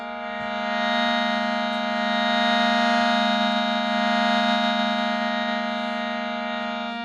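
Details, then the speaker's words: Clean, steady shruti box drone at even pitch with no rattle or buzz, played unclamped on a couple of notes; healthy reeds, unlike an identical box with buzzing reeds. "sounds normal enough"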